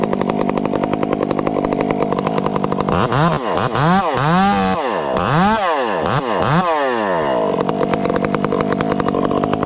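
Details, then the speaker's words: Chainsaw with a hand-filed chain cutting small wood: a high-revving saw bogs and recovers in quick dips with only slight four-stroking. Acceptable, normal running under load. "listen to it run in small wood this is this is acceptable very acceptable you'll still hear it you little barking the four stroking but not much"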